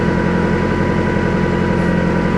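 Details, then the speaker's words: Block sealer head gasket repair test after a 15-minute run, thermostat open, both heater hoses warm, about 120: steady low engine drone with faint uneven roughness; combustion-gas tester fluid turns yellow, positive for blown head gasket, sealer did not work. "it's already starting to turn a little bit yellowish and this is going to be a positive test for blown head gasket right here so this product did not work"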